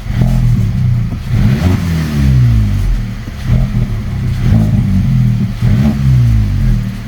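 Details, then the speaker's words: VW Polo 1.2 TSI R-Line petrol, no error codes, runs rough, worse when warm: blipped revs rise, hang, jump around and sag unevenly, bogging; owner suspects vacuum leak or faulty throttle body. "but it does is stick the revs do stick and jump around and it bogs down so I put it down to a vacuum leak but I could be wrong"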